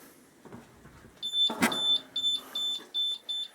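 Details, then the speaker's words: Honda ST1100A with flashing ABS lights (power circuit code), cold, before start: high-pitched chirps repeating two to three times a second from the bike's security alarm, not a fault. "excuse the alarm it absolutely drives me nuts but it does help when i store it"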